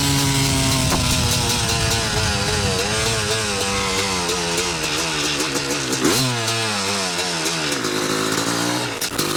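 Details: 1986 Yamaha YZ250 two-stroke, sat since 2015, running on choke with a carb and throttle borrowed from another bike and cleaned reeds: crisp crackle rising and falling cleanly through several blips, picks up sharply and settles back; healthy strong runner.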